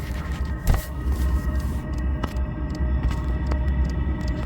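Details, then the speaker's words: Diesel heater after a fan failure, fuel line repair and a new ultra-quiet dosing pump, running after a third start attempt: soft, faint ticks about once a second over a steady fan rumble; the new pump runs very quietly and normally. "That is so quiet. The Ultra Quiet Pump, they said."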